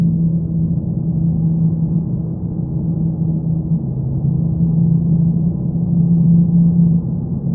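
A low steady drone sits under the engine, constant pitch with a slow swell in loudness; source not pinned down yet.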